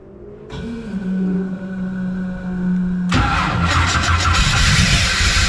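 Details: Pro street 1969 Camaro, reportedly a 540ci Chevy big block, being revived after sitting in salt air: cranks, catches, then revs with an uneven, stumbling beat; misfire, owner suspects ignition timing is off.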